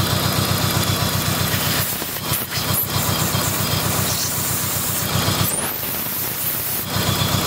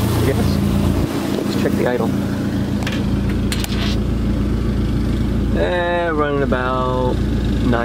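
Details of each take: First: Dodge SRT-4 engine idling with a misfire: steady airy hiss over a slightly uneven pulse, from a large, worsening vacuum leak at the intake manifold gasket, which was replaced. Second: Dodge SRT4 at idle after replacing the intake manifold gasket that caused a vacuum leak and misfires: steady, even low idle around 950 rpm with no misses. Sounds healthy, though music covers the later part.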